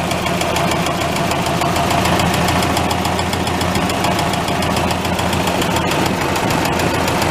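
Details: Massey tractor diesel after fuel filter change, oil bath air filter cleaning and replacing a cracked leaking line: even, steady idle clatter with no misses or surging; settling into normal run.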